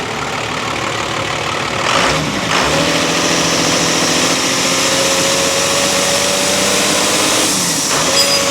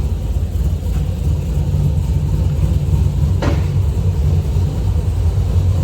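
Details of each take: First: Diesel just started after cracking and closing fuel lines: uneven idle with loud steady hiss over the engine; sounds like a terrible boost leak. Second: V8 car with long-tube headers and SLP exhaust, after header tick fixed, heard from inside while driving: deep even rumble, no ticking or leaks; exhaust sounds sealed, normal note.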